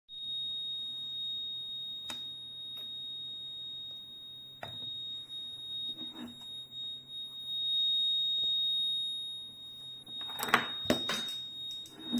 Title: YR1035+ Battery tester keeps beeping